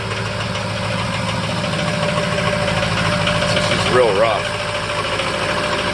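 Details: 2005 Ford F-350 6.0L Power Stroke diesel, cold start at about 35°F before adding Archoil AR9100: uneven, lumpy idle with steady clatter, rough cold idle; owner suspects failing injectors or stiction, also bucking in 5th; batteries checked OK.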